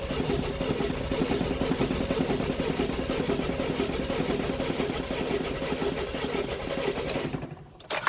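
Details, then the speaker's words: 2001 Mercedes Sprinter W903 diesel, long unused, cold start with Easy Start after two glow cycles, owner suspects glow plugs not working, battery straining: long even cranking about two beats a second with no catch, then cutting off; cranks but won't start. "Nearly. Bastard. I don't know if this battery's going to survive this."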